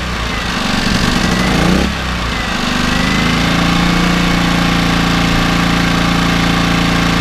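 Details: Small generator after carburetor clean (previously no fuel reaching carb), started on choke without priming: single engine catches, stumbles briefly, then settles to steady fast beat with uneven rattle on top; running on choke.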